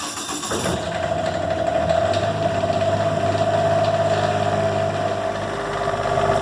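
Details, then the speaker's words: Diesel generator in 2004 Monaco Camelot motorhome, reinstalled, primed, preheat/glow plugs, repaired exhaust installed: catches within a second of cranking then smooth even run with steady hum, pretty quiet; normal start and run. "Pretty quiet. Got my new exhaust, or my repaired exhaust all installed. Worked out pretty good."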